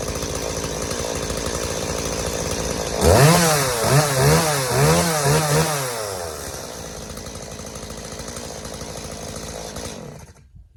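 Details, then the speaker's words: Stihl MS180C chainsaw that bogged and died on throttle, after carburetor rebuild with new metering diaphragm, gasket, pump diaphragm and gasket; fires, revs crisply in several blips, then settles to a steady even idle without bogging. "all right guys there you have it steo ms180c is ready to roll again all it needed was a simple carb rebuild"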